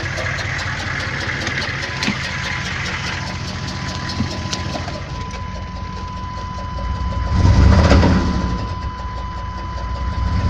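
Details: 6.5 diesel truck idling, which started knocking on the drive home from work. A steady, sharp knock about four times a second over a deep rumble. Owner suspects a stuck injector or rod knock; cause undetermined.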